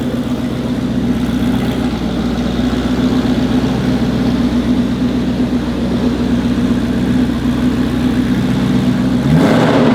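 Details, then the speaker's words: Ford GT after a fix, with the fault code gone: steady, even cold-start fast idle with a smooth deep exhaust pulse and no misses, which it had not done for about a year; the engine is relearning. "Did you hear the way that it idled up cold, and it hasn't done that for probably a year? It tried to get its, cold start idle."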